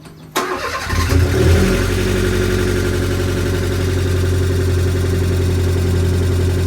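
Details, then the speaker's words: Fiat 500 Abarth, after replacing the starter motor suspected of causing a screech on startup, after sitting a while: brief crank, clean catch and steady idle with no squeal afterwards. "there is no squeal now after startup, so that's a win."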